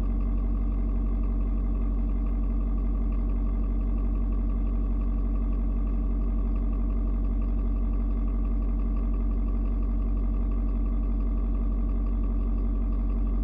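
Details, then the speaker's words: Ford Super Duty 6.7 diesel, cold start at 56°F. A smooth, deep, steady drone at cold fast idle with shifting tones as it adjusts the fuel mix to the outside temperature, then mellows; no misses or knocks. Normal cold high idle. "you can hear the truck engine kind of doing different tones what it's doing is it is reading and figuring out temperature outside it's trying to figure out you know um how much fuel to mix with the air"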